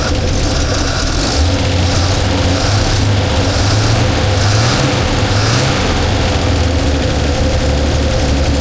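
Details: 1977 Holden HX, previously only idling high on choke, no timing light: steady fairly high idle with slightly uneven low beat and wavering pitch; rough idle, timing suspected.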